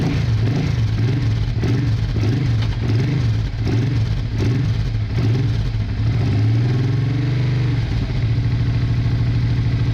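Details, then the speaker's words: Honda Bros/Hawk GT 650 (late-80s V-twin), just started after battery trouble, briefly on one cylinder, now running on both while warming up: deep, even idle with steady low beat, no misfire. Owner checking for a small coolant leak. "well excellent we are running on two yeah both types of warm"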